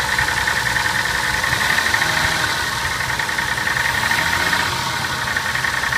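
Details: Toyota Soarer at cold idle: sharp, rapid, steady ticking knock; owner suspects big-end bearings, unconfirmed.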